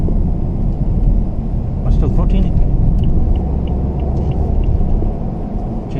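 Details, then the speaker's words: 2013 BMW F30 320i M Sport xDrive, 2.0L N20 turbo petrol, driving after the turbo was replaced: even engine and road rumble with no whine or whistle rising with revs, virtually no noise, healthy. "look how beautiful this is guys makes virtually no noise"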